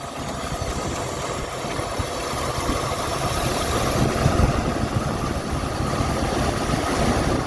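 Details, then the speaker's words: 1978 Mercury Marquis Brougham, 400 V8, after new fuel pump and filter, on a trailer; revving with uneven lumpy beat and irregular stumbles, missing badly and running rough, some spitting. "so let's see if we can accelerate it any without falling off the trailer [Applause] man there's stuff flying in my eyes sure is running rough now"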